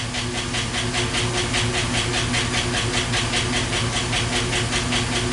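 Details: 2012 Chevy Silverado 5.3L with Active Fuel Management, idling with a sharp, even tick about 2.5 times a second. The cause is a collapsed intake-valve lifter on cylinder four that is not pushing its rocker arm.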